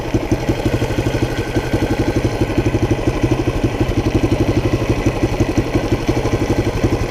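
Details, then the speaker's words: 1976 Honda XL175 single-cylinder at steady idle, warmed up, air cleaner removed: hard, throaty intake bark on every pulse, noticeably louder without the air cleaner. Loud intake noise with air cleaner removed. "little noisier when you run it without airbags and that's for sure"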